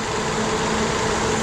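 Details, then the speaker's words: Citroën C4 hatch with engine noise; after covering the suspect cap with a plastic bag, steady, even idle hum with no whistle or hiss, noise gone; cap found faulty, to be replaced; normal idle. "E aí e como a mágica o barulho sumiu totalmente a pena motor ele já começa a trabalhar"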